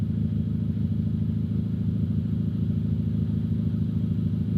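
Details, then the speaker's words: Honda Civic Type R after a rebuild with the head gasket fixed and codes cleared (earlier misfires), idling while warming to about 200 so the fans come on: steady, even low idle with no knocks, misses or hunting. Sounds healthy. "Pretty much just letting the car warm up, get to about 200 so the fans can turn on, make sure that the fans work and everything's good. But everything sounds good and healthy so far."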